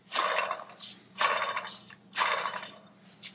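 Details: Porsche 997 Turbo, engine out for repair: rough gritty rasp in bursts about once a second as the removed water pump is turned by hand, a worn bearing; the new pump is silent.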